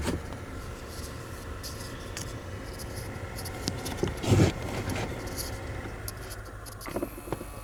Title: 2012 Jeep Wrangler recirculation door actuator clicking noise